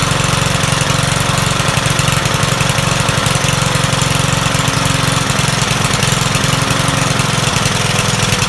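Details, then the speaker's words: Troy-Bilt 21-inch self-propelled mower salvaged from the dump, owner thinks it has a Kohler engine: loud single-cylinder chatter with an uneven, stumbling beat. It runs rough, and the owner says the carburetor needs cleaning. "okay so it runs not too smooth but it runs definitely going to need a carburetor to clean"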